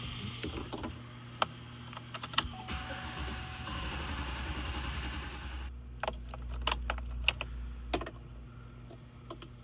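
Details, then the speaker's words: 2017 Chevy Express 6.0L van cranking steadily for about three seconds without firing: crank-no-start. A fuel pump not kicking on is being checked; fuel, spark and timing are not yet ruled out. "So yeah, you can see it's cranking, cranking, trying to start, but it just ain't firing up."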